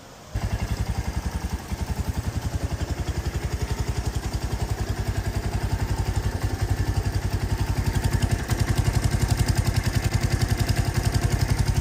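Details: 2023 Royal Enfield Meteor 350 single idling after valve lash adjustment, which the owner thinks sounds better: steady, even thump at about four per second with no ticking or clatter; healthy idle.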